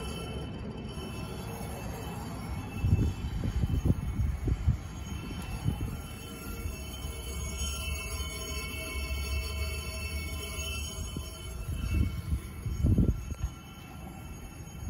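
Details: Trane XB12 heat pump outdoor unit just after shutting off: low, uneven groaning and thumping; owner suspects the reversing valve, not confirmed.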